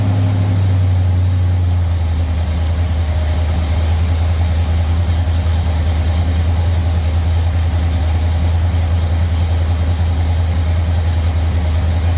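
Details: Ford Thunderbird Town Landau after a 460 V8 swap with custom motor mounts and a C6 transmission, on an early start. Deep, even V8 idle with no knocks or squeals and good oil pressure: normal idle.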